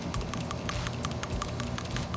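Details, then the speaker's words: PCV valve removed from the back of the valve cover on a 2010 Nissan Murano LE (VQ35DE), shaken by hand after cleaning off dirty gunk with carburetor cleaner: crisp, quick rattle as the once-stuck plunger and spring now move freely; it will still be replaced. "so each time it's rattling more freely ah this right here you see that inner part uh that was not moving like this in the beginning that was not moving freely"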